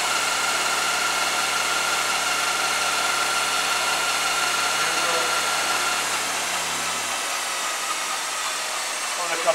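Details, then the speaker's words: Bridgeport ROMI E-Z Path I 20" x 40" two-axis CNC lathe, spindle running: steady smooth hum with a fine constant whine easing as it slows, no knocks or grinding; spindle operating normally. "that's pretty much it there so we got that got the spindles working pretty good"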